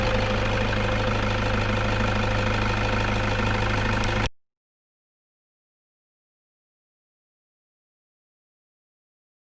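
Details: Toyota Vigo pickup at idle: rough fluttering whir from the front of the engine caused by a failed alternator overrunning pulley that spun freely and stopped charging; fixed by replacing the pulley.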